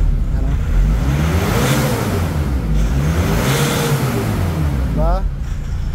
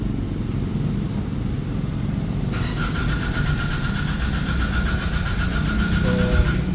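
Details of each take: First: Nissan Navara diesel that would not start, after replacing a defective boost sensor, no fault codes: it revs up and back down twice, smooth and even with no misfire. Running normally after the repair. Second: Nissan Navara diesel, towed in from another shop, won't start: steady cranking without firing, with a beeping tone. Remaining codes are power circuit, boost/air pressure sensor and accelerator position sensor; blamed on a defective boost sensor.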